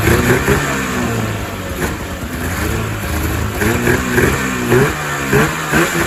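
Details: 2000 Ski-Doo MXZ-X 440 two-stroke race sled, just running after fuel system flush: lumpy idle that surges and sags, a little fat, loaded up and choked up in the low end; idle may also be set low, tune pending in cold weather with airbox on.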